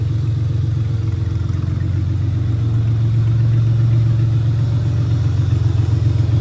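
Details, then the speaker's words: J35 V6 sandrail warming up at idle after a radiator fill, with a low battery on charge, oil pressure present and old fuel. Deep, even idle rumble with no ticks or misses; running fine. "So we're gonna let it warm up here for a little bit and get the fans to come on."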